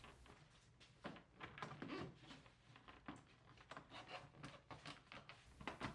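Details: 1979-1993 Ford Fox Body Mustang door after new window guide bushings, weatherstripping and door panel clips: a few dull, solid thumps as the door closes, with no buzz or rattle, a solid rattle-free close.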